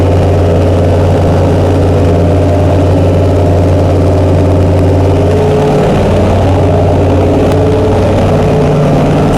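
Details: Chrysler 440 Six Pack V8 with triple two-barrel carburettors, after replacing a damaged centre-carb gasket beside the power valve: steady, even low rumble settling to a slightly different speed partway through; smooth, healthy idle.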